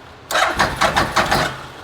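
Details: Bennche Spire 800 UTV cranks in quick uneven pulses for about a second but never fires; after injector cleaning, no fuel spraying from injectors, earlier misfire noted, fuel pump being checked.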